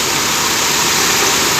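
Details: Toyota Corolla Twincam liftback gen 2 idling after a rev check: steady even idle, smooth hiss, no ticking, knocking or misfire stumble; engine healthy.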